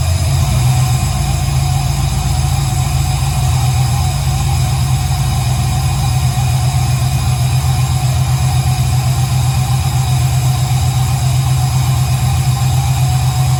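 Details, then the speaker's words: 1968 Camaro with fresh fuel-injected V8 (Holley ECU, fuel pressure 58 psi, injector data not yet entered, hot-wired fuel pump), second startup: deep steady burble, even rumble, no knocks or ticks; idle still needs adjusting, some smoke from oil in cylinders. "so this is technically the second startup that sounds amazing"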